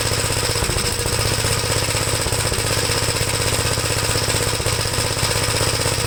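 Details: 1973 Gravely C8 running a donor single-cylinder engine with a Fairbanks-Morse magneto after a swap and ignition timing work; the owner is unsure about the governor setup. Steady, loud chugging at about four beats per second, even and sustained: running normally, with oil pressure showing.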